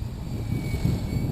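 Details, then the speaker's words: Logo 600 helicopter on single 6S 5000 pack, about 1050 rpm head speed with VBar; deep rough rotor thrum and chopping roar as VBar adds heavy pitch during flips at low head speed, blades biting in. Rotor blade noise from high pitch at low headspeed. "see that sound right there that's just the blades biting in cuz what's happening is the VB bar I I I moved the stick a certain amount and the V bar said okay he wants to flip at 180° per second and the V bar throws in however much pitch is required to do that"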